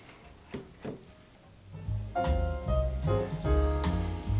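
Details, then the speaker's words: Marantz 2245 receiver bought for parts and repaired, playback test after reassembly: clean piano and bass come through clear and full with no hum, crackle or distortion; the receiver sounds healthy and fixed. "That sounds really nice. So, there it is, folks. Yet another one fixed."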